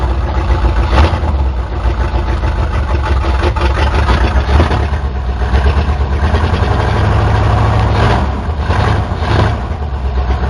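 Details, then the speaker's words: 1977 Chevy C10 Custom Deluxe V8 started after sitting for years, fired easily: deep, loud, steady idle with throaty open-exhaust rumble, no knocks or misses; healthy engine. "i'm so surprised how easy that fired up after sitting for that long"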